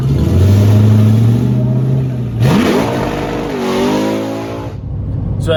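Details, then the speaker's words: Johnny Cash car testing at Milan with the boost ramp sorted: on launch the engine holds high revs and then flares upward without matching pull. The clutch slips badly, and this clutch needs an hour of cooldown between runs. "the clutch was slipping really bad i'm coming to find out that particular clutch needs an hour of cooldown before you can make another run"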